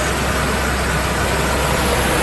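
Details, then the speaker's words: 2008 Dodge 5.7 Hemi idling steady and smooth with A/C engaged after A/C compressor clutch fix; clutch inner portion now spins with no grinding or chatter, normal idle with A/C on. "Go ahead and engage the AC. You'll see it start spinning a lot faster. And there you have it, guys. A very simple fix."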